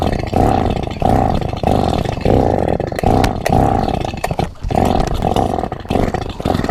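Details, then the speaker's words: Borrowed two-stroke chainsaw, not run in years and with multiple faults: repeated short sputtering bursts that catch briefly and die each time; won't keep running, cause unclear. "It definitely hasn't been run in years, and every time I thought I was ready to start it up, something else was wrong with it."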